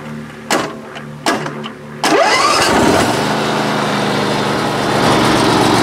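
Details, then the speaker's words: Great Dane Super Surfer engine starts after two short tries and runs with a rough, gritty bad-bearing rumble from the flat idler pulleys under the pumps; both idler bearings have gone and need replacing. "so that sound that sounds like uh bad bearing that is that's the flat idlers under underneath these uh pumps the um the bearings in those idlers have gone so I have to replace both of those"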